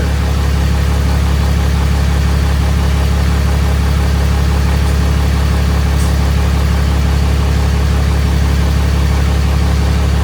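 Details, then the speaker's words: Freshly swapped 6.7 Cummins diesel in 2nd-gen Mega Cab, first fire after two cranking tries, idling in closed shop: deep, steady even idle, no knocks or misses; running really smooth. "So, as you saw, it fired up. It's running behind me. It's actually running really, really smooth."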